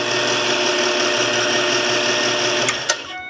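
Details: South Bend toolpost grinder spindle, bench-run before mounting on the lathe, drive belt uneven in spots: smooth, even high-pitched spin with a steady note, no knocking or grinding, before winding down; healthy spindle.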